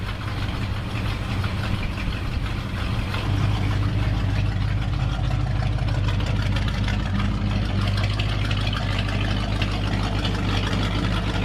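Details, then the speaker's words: 1966 Ford F-250 V8 with dual exhaust, warming up on choke at 42°F after a new battery and tightened exhaust hangers: a low, even rumble with a steady lope and no ticking or knocking. This is a normal warm-up idle. "man he sounds good love that dual exhaust"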